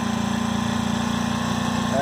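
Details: Ryobi RYi911LP/RYi900LP propane inverter generator, first start outdoors after priming; low steady hum with even pulse, no misfires or rattles, quiet; normal idle.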